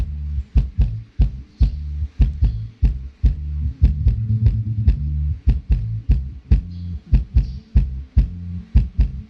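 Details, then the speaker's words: Polk Audio PSW125 active subwoofer, repaired after a no-power, no-sound fault, tested with volume turned up. Deep, punchy bass thumps cleanly under music with no buzz, crackle or dropouts: healthy amplifier. "เราเร่งเสียงขึ้นนะครับผมอ่าความถี่หนักแน่นครับผมหนักแน่น"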